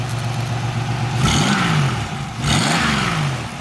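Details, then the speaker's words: 1996 Pontiac Grand Prix SE 3100 V6 revved after AC compressor, belt and battery replacement: raspy puffing from an exhaust leak at the back of the engine; PCV valve also clicking. "Sounds really good. Got a little exhaust leak in the back of the engine."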